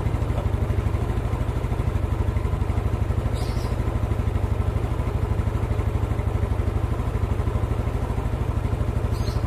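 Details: Old Yamaha Mio scooter after valve clearance set slightly loose to cure hard starting: steady, even low putter at a quick idle with no knocks, ticks or rattles; runs smoothly, carburettor still to be tuned.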